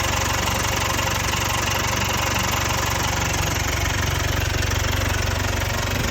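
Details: Jaguar XE Ingenium 2.0L diesel at idle: fast, regular metallic rattle about four per second over the idle clatter; stretched timing chains.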